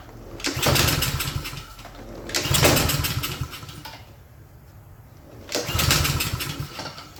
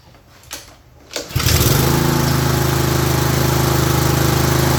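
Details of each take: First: Craftsman self-propelled mower with a Honda engine, no-start, oil overfilled: three short bursts that each catch for about a second and fade, running only on starting fluid, with gas shooting out the muffler. The carburetor is flooding. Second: Craftsman (MTD) self-propelled mower with a Honda engine that would not start, after a missing or misplaced gasket was fixed when refitting the fuel system; a couple of pulls, then it catches and runs a smooth, steady chug, smoking slightly.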